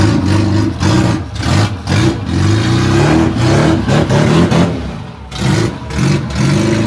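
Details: Classic Rover Mini Sidewalk first start after 14 months off the road and engine work, no exhaust fitted: engine climbs and drops smoothly through several blips, loud but no knocks or rattles, sounds healthy.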